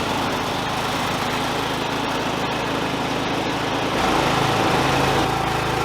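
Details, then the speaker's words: John Deere LA100 lawn tractor, after repairing a mower deck that had gone through its belt three times: engine holds a steady, even beat with blades spinning smoothly. Deck running normally, no belt issue. "But doing good. There's no issue with the deck belt."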